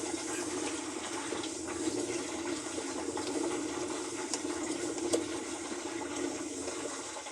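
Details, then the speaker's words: Large Brastemp washing machine (also leaking oil and water) with the actuator spring released so the basket can be turned by hand: a steady gritty rumble and rasp. The tub bearings are completely ground up and worn out. "isso aí quer dizer que é uma máquina que os os rolamentos dela já foi para onde tinha que ir tá pessoal rolamento aqui esquece tá tudo moído de triturado"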